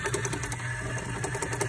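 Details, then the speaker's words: 1973 Bally Nip It pinball motor after fixing broken bushing with an added spring, lubrication and fine sanding: quick even whirring with light repeating mechanism clatter; motor spins freely and runs normally. "I'm gonna crank it on. And as you can see, it works. So all I did was add a spring."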